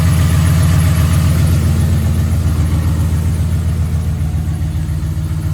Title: 2011 Ford F-150 5.0 Rod Knock 1